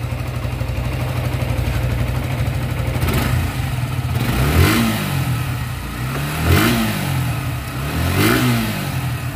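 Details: Suzuki Gixxer motorcycle after piston ring work for engine noise: revs up and drops back cleanly in three even blips with no knocking or rattle; normal running.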